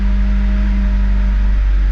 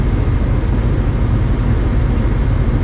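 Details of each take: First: 1996-2000 Honda Civic LX, D16Y7, warm idle: the engine runs rough, the note sags and recovers as the RPM gauge bounces, and it nearly stalls. A dirty idle air control valve was the cause, and cleaning it fixed it. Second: 1996-2000 Honda Civic LX D16Y7 after cleaning the idle air control valve, heat on full: steady even warm-up idle that idles down without stumbling or dying as it did before; fix successful.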